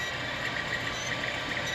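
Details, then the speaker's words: Creality Ender 3 3D printer, about a week old, printing: short, high squeaks come and go over the steady printer hum as the filament rubs in its printed guide. It was worse with the previous guide, so a new one was printed. "That stupid squeaking is irritating as hell. And it was worse with the other one that I had, so I went ahead and printed this one out."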